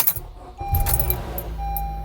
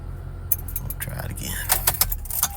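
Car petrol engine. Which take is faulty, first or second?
first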